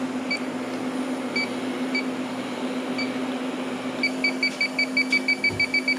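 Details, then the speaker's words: Walk-in cooler with refrigerant leak, bad compressor and burnt wires: leak detector in nitrogen-pressurized system, fans off, chirps rise from about one to three per second near the evaporator coil area; refrigerant leak detector alarm. "yeah so contaminated obviously the door open oh yeah look at that she's going nuts up here in the coil area yeah that's not good"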